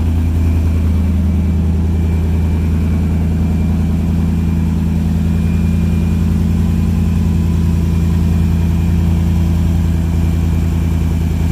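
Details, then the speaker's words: 1951 International rat rod with a Toyota 4Runner cab, first start after extensive rewiring: a deep, steady idle with an even low rumble and no misses or knocks. Running healthy. "I can't believe she's alive. And it's running good too."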